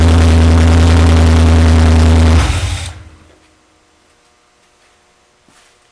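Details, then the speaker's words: 1968 Mustang coupe with a fresh, not yet broken-in 302 V8, brief start-up with no exhaust fitted: loud, raw, open bark with a fast even firing beat for about two seconds, then shutdown; needs exhaust. "definitely need to get some exhaust on it"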